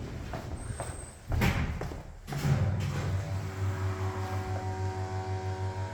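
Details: 1989 Kone rope hydraulic elevator in a Copenhagen apartment, recorded in the machine room: a few door clunks, then a steady low motor hum with a slow gentle pulse as the car is sent up; normal pump run.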